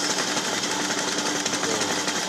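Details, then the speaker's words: Toyota 2AR engine at idle: harsh, rattly, uneven idle with a clattering edge; misfire from wrong cam timing, camshaft and crankshaft sensor correlation incorrect. "you can see that the engine is not stable this as a result of bad timing the Eng wasn't properly"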